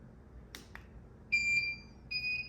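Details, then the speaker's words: Visico VC-600 600 W studio strobes, second unit set to optical/infrared slave with the audio beep on: two flash clicks, then two high steady beeps a moment apart; both fired and recycled, so slave triggering works. "So you hear both of them beeping. So that means when I triggered this unit, the flash uh triggered that unit."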